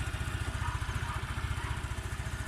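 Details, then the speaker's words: Honda Click 110 carbureted scooter, all original, for sale: soft even idle with no ticking or rattle; engine quiet and healthy. "ดีจบทุกอย่างเลยนะครับเครื่องเงียบนะครับพี่นิ่มเลยนะครับถ้าไม่ได้ยินเสียงอะไรเลยนะครับ"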